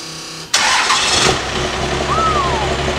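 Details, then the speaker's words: Old 4-cylinder Cummins diesel flatbed truck with dual stacks; starter whirs briefly, diesel catches at once and settles into steady even idle; normal start. "nice that dual stack sound that's what i was after"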